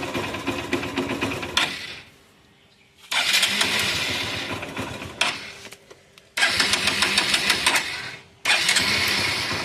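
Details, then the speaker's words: Motorcycle with an oil leak: several short bursts with quiet gaps as it struggles, then catches and runs before being shut off; hard starting, but it starts. "கொஞ்சம் கஷ்டப்படும் அதுக்கப்புறம் start ஆயிடும் வண்டி இப்படிதான்"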